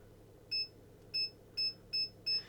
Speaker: you can hear the beeps coming from the front of the car, and that's telling you that obviously we're getting close to something in front. They will flatline when you're about a foot away from the wall.